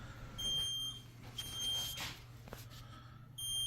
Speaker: ഈ beep sound കേൾക്കുന്നത് ഈ പാനൽ ക്ലിയർ അല്ലാത്തത് കൊണ്ടാണ്. അതിൽ ട്രബിൾ സിഗ്നൽസ് ആക്റ്റീവ് ആണ്.